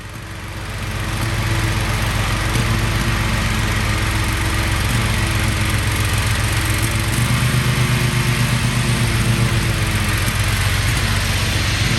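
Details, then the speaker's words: Kohler 7000 Series KT735 24 hp on Toro MX5050 mower, after replacing fuel filter and fuel pump; uneven sputtering, missing, about four pops a second; carburetor replacement didn't help, cause was cheap no-name spark plugs. "Just started up the mower and it's still doing the sputtering missing sound, so I'm going to go ahead and replace the carburetor."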